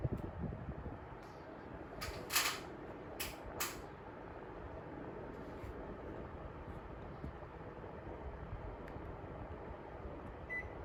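Soft, even airflow hiss runs steadily under a few handling clicks, with no rattle, squeal or grinding; the indoor fan runs normally.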